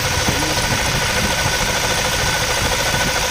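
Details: Toyota Fortuner diesel idling with a steady, gritty rushing whir from a worn alternator bearing; left unrepaired, the bearing loses its grease and wobbles and may affect charging, so replace it before damage worsens.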